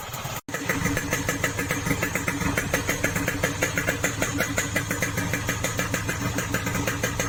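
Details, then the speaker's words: Yamaha RX King two-stroke after fixing the rough rattling noise caused by a shaved piston and large piston clearance, now rebored: even, crisp idle putter with no rough rattle, much smoother than before; normal idle. "Ini lebih halus ya bro suaranya bro, ketimbang yang sebelumnya. Ini yang kemarin yang sebelum dipuring kasar sekali bunyinya bro."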